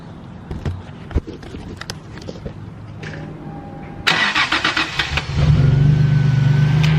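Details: Toyota Tacoma after replacing a loose idler pulley to fix an engine ticking/knocking noise: some clicks, a few quick cranking pulses, then it catches into a smooth, even idle with no ticking; it sounds healthy.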